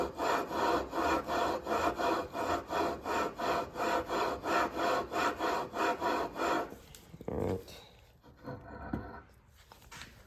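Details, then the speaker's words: Predator 212 engine built for a Motovox minibike: flywheel lapped onto the crankshaft taper with compound, no key fitted, steady rasping grind about three strokes a second then stops, for a perfect mate so keys don't shear. "Then we're gonna be spinning this. Make sure no key, don't put the key in yet. You should hear that nice grinding noise."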